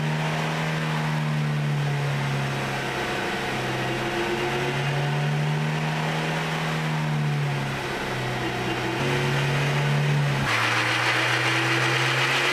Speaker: Listen carefully to the whining noise on acceleration. The noise you are hearing is coming from the differential drive pinion bearings.